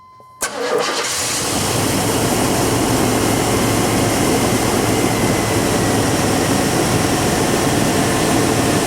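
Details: Chevy/GMC 5.7L Vortec truck on first start after fuel pump replacement and tank reinstall: a short crank, fires straight away and settles into a smooth steady idle with no stumble. It starts and runs healthy with fuel pressure present.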